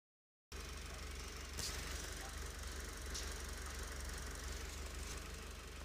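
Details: Mitsubishi 4B11 engine running: a loose, irregular knock of roughly four beats a second over the idle hum; source of the knock unidentified.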